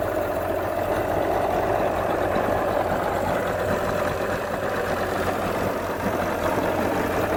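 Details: 1989 Suzuki 30hp three-cylinder two-stroke outboard, after replacing the bad crankshaft seal and fuel pump: steady, even tick-over with a smooth mid-pitched hum, no popping or dropouts; firing cleanly on all cylinders.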